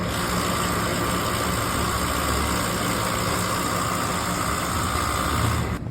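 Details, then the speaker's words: Outdoor AC compressor running with a coarse, rough grinding roar and faint high whine, getting louder; oil stains and oil smell suspected from the compressor; bad compressor later replaced. "All right. So, after we noticed that compressor is making a grinding noise, we looked in here and we noticed look like some oil stains and it looks like it's coming from the compressor."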